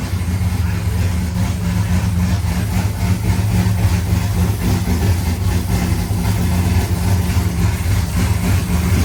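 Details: First start of a rebuilt C5 V8 with a Michigan Motorsports drift cam and ported 243 heads, showing 50 psi oil pressure. Loud, deep, lumpy loping idle, very loud; a bystander says it sounds like a vacuum leak. Normal big-cam idle.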